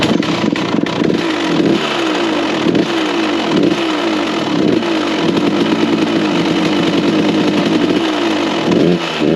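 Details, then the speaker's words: 1999 KTM two-stroke, cold start, blipped repeatedly with uneven rough revs; excessive crankshaft play from worn crank bearings and a leaking crank seal letting oil into the crank chamber, causing power loss and oil burning; bottom-end rebuild planned. "It's bad. Crank seal is done. Crank is done. Shit, I don't even know what else is done."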